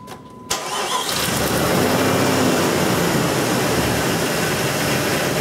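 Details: Jeep 4.7 start after replacing the faulty cam sensor that caused the no-start: brief crank, catches right away and settles into a smooth, even run with no stumble; starts normally.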